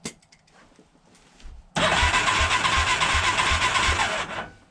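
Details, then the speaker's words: 1987 Big Bear 350 4x4, warm compression test after running: short burst of even, slightly quick cranking with weak puffs; low compression, 65–70 PSI, explaining why it must run on choke; new cylinder and piston later fitted. "well not what I expected there 65 70 PSI compression test what also explains why it has to run on joke have to keep riching it out"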